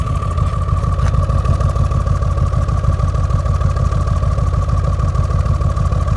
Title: RS6 rough idle